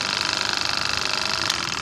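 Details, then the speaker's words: Wagner 435 7.8 hp diaphragm airless pump (F230 equivalent), after internal hydraulic rebuild for loud noise and oil leak, oil topped up: fast even pulsing with hissy top end, no knocks or rattles; internals good, only inlet valve left to replace. "I think Titan has a name for it as well, and that's how we know that everything internally is good."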